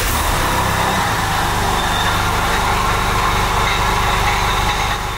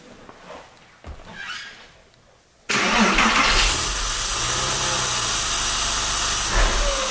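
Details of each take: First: Porsche 996 with M96 engine and 59k miles, later-version IMS bearing, at idle. Steady idle with a faint whirring over the rumble, seemingly from the front belt-driven accessories; suspected bearing, water pump, power steering or clutch; timing chain tensioner and IMS judged unlikely. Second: Porsche 996 Carrera, M96 engine, 59k miles: quick crank that settles into a steady idle with no whirring or grinding, and the earlier bearing noise is now soft; oil in the coolant points to the air-oil separator.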